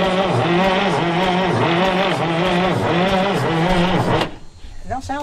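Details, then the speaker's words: Abandoned bullnose white cabover semi, parked about 20 years, on two hooked-up batteries, cranks sluggishly at about three turns a second for four seconds without catching; owners suspect the batteries aren't big enough. "It don't sound like the batteries are big enough."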